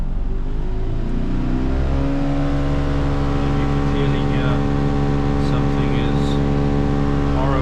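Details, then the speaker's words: Crash-repaired Mercedes-Benz C200 idling with the air con on auto: a steady droning hum with a whirring tone from the blower fan, quiet on low; something is suspected stuck behind the dash. "So, what we want to do is demonstrate the noise with the air con."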